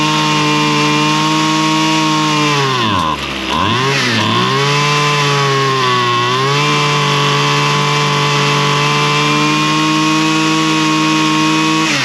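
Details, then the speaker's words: Two-stroke lawn tool run after carburetor high and low needle adjustment following stale-fuel problems, diaphragm possibly a little stiff; buzzy steady tone after one quick dip and recovery, clean at high speed; normal running. "It's It's running pretty good."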